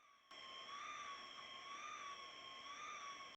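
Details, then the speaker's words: Phoenix arcade PCB (Intel 8085 CPU) drones steady high warbling sound effects nonstop with no game input; the LS374 sound-enable latch at IC6 has a floating output, so the effects stay on; fix is replacing IC6. "all the various sounds are toggled on and off by the main CPU by writing the appropriate data bits on these 274 LS 374 for 8bit registers in position ic5 and six so I'm going to check the output of both ic's and here we have a floating output that's surely bad"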